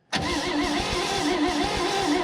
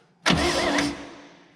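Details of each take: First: 1965 Chevrolet Bel Air, 230 inline six, sat 35 years, cranked with a jumper wire from starter positive to coil positive. Steady, even cranking for about five seconds with no firing at all. No spark, so the points are suspected. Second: 1965 Chevrolet Bel Air, 230 inline six, sitting 35 years, first attempt via remote starter switch: short, brisk burst of starter cranking spinning the engine freely and evenly, valves moving; starter works normally.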